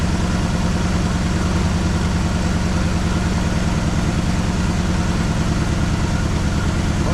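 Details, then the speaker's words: 1973 Malibu parts car sitting about 25 years, points checked, fresh battery, old gas poured into carburetor, first start: loud lopey V8 idle stumbling irregularly, missing on probably three cylinders; engine turned over freely with no stuck valves. "Doesn't sound very happy. It's missing on probably three cylinders."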